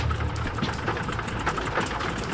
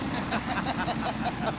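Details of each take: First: Canso flying boat, engine number 2 being run up: loud, uneven radial drone with stumbling, coughing beats, blowing smoke, not a clean rhythm. Cracked cylinder. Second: Canso flying boat piston engine on morning run-up after the mechanic replaced a second cylinder: even, steady beat with no misses or stumbles; the earlier fault appears cured, normal engine run-up.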